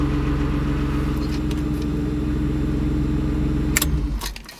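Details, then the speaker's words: BMW E36 idles smooth and even with a steady low rumble, no misses, then is switched off; it had a no-start that jump-starting overcame, fixed by replacing the battery; normal idle. "see ya startup fine um guess I just needed to change the battery"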